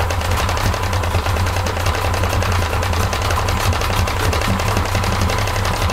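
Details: 1995 Yamaha 50hp (62F-80) two-stroke carbureted 3-cylinder autolube outboard running unevenly at low speed with a fast, rough mechanical knock. The bottom cylinder feels coldest, suggesting a weak cylinder, though this is unconfirmed.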